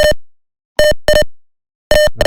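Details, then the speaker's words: Gas detector piezo buzzer at level 2, sensor detecting toxic gas: quick mid-pitched paired beeps, faster than the single beep of level 1. "Nah, ini memasuki ee level kedua di mana tugas ee sentugas di sini mendeteksi bahwa sudah ee beracun. Nah, untuknya sendiri itu berbeda dengan ee pertama atau level. Nah, beda dia ee level agak lebih cepat."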